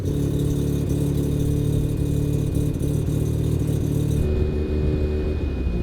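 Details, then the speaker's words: Rotary engine with a new turbo and blow-off valve, closed-loop fueling on, warmed to roughly operating temperature of about 140 degrees: steady, even low burble holding one pitch, no longer fluctuating. Normal idle. "It's not fluctuating so much. We're up to operating temp-ish"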